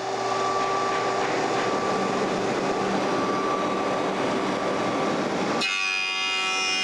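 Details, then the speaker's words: Woodshop jointer on the last pass of flattening a board: even, unchanging cutting roar for five and a half seconds before the blades run free; the consistent sound means the board is at least 95% flat. "On my last pass, I can hear that I'm getting a consistent sound going across the joiner. I know that I'm flat, at least 95% flat."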